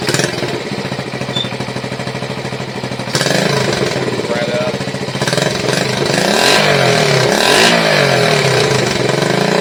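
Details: 1971 Honda SL70, long-stored, rebuilt with an 88cc top end kit, carb kit, air filter and tune-up, on a temporary battery: the small single fires up, runs evenly and picks up cleanly on throttle with no misses or knocks; healthy.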